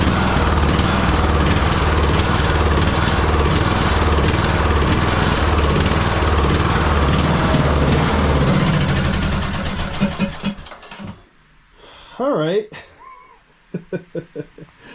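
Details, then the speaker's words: 2009 Craftsman YTS 3000 mower, 21hp Briggs and Stratton single-cylinder: engine chugs unevenly and hunts then dies, with heavy blowby noted; owner suspects water in the unchecked fuel tank causing rough running. "And then it started to run like like garbage there at the end. I mean, who knows what's in this tank. That's probably my fault for, you know, assuming there wasn't water in there."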